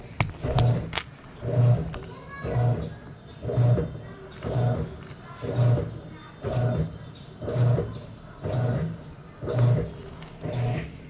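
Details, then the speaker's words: Sharp automatic top-load washing machine, reported as not draining or filling, tested before repair: steady low swishing strokes for one to two minutes while it never fills. "siguro nasa isa o dalawang minuto na nanyan siya ng ganyan n ko lang yung mga symptom Kasi mukhang hindi siya normal"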